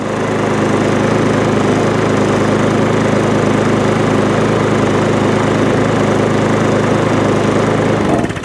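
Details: MTD push mower, Tecumseh engine, whose too-thick SV150 foam air filter had been starving it of air: it holds a steady, even drone for about eight seconds without surging or missing, then shuts off cleanly; it is running properly.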